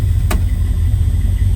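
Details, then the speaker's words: 1974 Dodge Dart with a 318 V8, automatic, dual exhaust and manual choke, started and idling: deep, smooth low rumble holding steady after a brief click, no knocks or misses. A good-running driver car, normal idle. "So good driver quality car, runs, drives good, 318 automatic, and now it looks good. Gonna start up our Dodge Dart, good running car."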